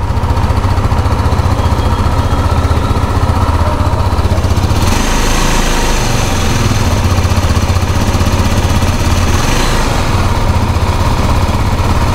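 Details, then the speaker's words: 2023 KTM Duke 390 BS6 single-cylinder after chain tensioner repair fixed an engine noise: steady, even idle with a firm low thump and no ticking or rattle; engine sounds clean and healthy. "ऐसी तो कोई आवाज नहीं है"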